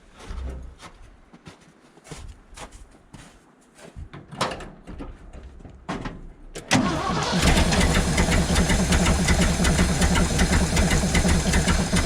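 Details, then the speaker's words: 1975 Ford F750 pipeline truck V8, carburetor idle mixture screws being turned in: handling noises, then it catches into a loud, slightly uneven lumpy idle; still rough but improving. "i actually think that's getting better another half turned in eventually we gotta get somewhere here"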